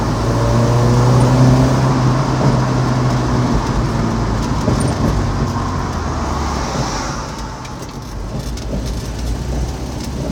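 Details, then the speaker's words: Car with ignition timing off, owner unsure if cam, distributor or crank, nothing else changed: revs with loud deep intake roar but power way down when accelerating; loud induction noise with low power, timing suspected. "so my car's timing is off I'm not sure if it's cam distributor or crank at this point but regardless it makes this cool induction noise now"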